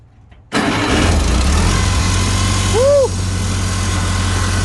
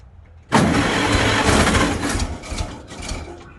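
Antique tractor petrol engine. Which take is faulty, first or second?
second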